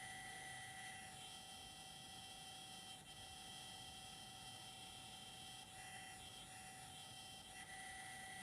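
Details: DJI Zenmuse H3-3D gimbal: faint, steady high-pitched whine with a second higher tone over soft hiss; abnormal motor sound when it should be quiet.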